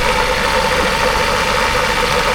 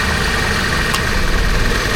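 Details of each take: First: Toyota Commuter van with a microbus AC fitted 1–2 years earlier: a busy, rattly knock under the idle that appears only while the AC compressor runs, gets louder with revs and stops when the compressor cuts out; worn compressor, owner wants it replaced. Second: Toyota Commuter van at idle after compressor replacement, which loudly clacked when engaged: new AC compressor runs quietly with steady idle, no rattle; high side about 170 PSI, slight engine shake when engaged.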